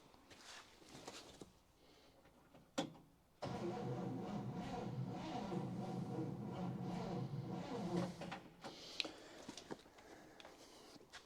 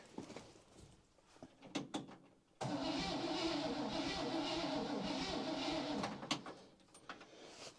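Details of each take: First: 1960 Chevy Brookwood wagon, sat 20+ years, battery on charger, no coil fitted yet: slow labouring four-second crank that never picks up speed; starter works but is weak. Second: 1960 Chevy Brookwood wagon engine, sat 20+ years, with rebuilt carb and starter cable refitted: steady, strong crank about four turns a second for three seconds, no firing, before points, condenser, cap and rotor replacement; cranks much better than before.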